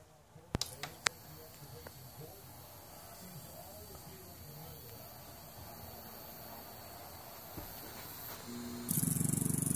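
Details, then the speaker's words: Insignia 37-inch LCD TV that makes a noise at switch-on, picture wavy: sudden harsh low buzz at power-up, blamed on a toasty-looking power-supply capacitor. "dear God that sounds scary that's that cap I know it's that cap stay tuned"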